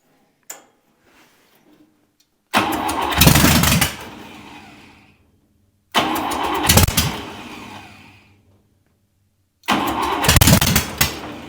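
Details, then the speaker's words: Buick 401 Nailhead in a rail dragster, first fire: three short rough bursts, each catching a second or two before dying; fuel delivery issue, owner suspects a stuck carburetor needle and float, rebuild needed. "the carburetor foreign a fuel delivery issue right now I'm gonna guess that the uh the needle and Float is stuck in this cardboard I got to rebuild it but she'll run"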